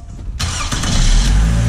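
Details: Toyota Camry (2007–2011) restarted after a battery replacement: a short crank, then it catches at once and settles into an even, low idle; a clean, healthy start.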